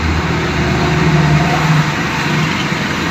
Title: Low RPM plus engine misfire | Mr. Automotive